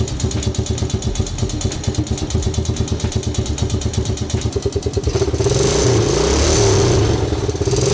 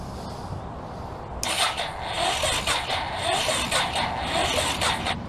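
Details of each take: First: Old forgotten Honda engine at its first start: regular firing beat at idle, then picks up into an even rev with no knocking or misses; running fine. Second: Old forgotten Honda engine with janky, poor wiring connections: sluggish, dragging starter whir in uneven surges, never catching; the battery is judged weak.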